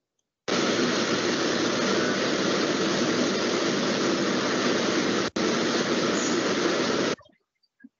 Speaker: es muy suave el corte no tenemos vibraciones en la cavada es mucho más estable